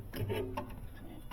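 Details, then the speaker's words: Sub-Zero 315W wine cooler, condenser fan running: faint irregular ticking and light rubbing as the blade catches a bent fan shroud (part 7018730); motor probably okay, fix is a shroud replacement. "I don't know if you can hear that noise but it that's the problem so probably the motor is probably okay but the shroud it comes in a kit"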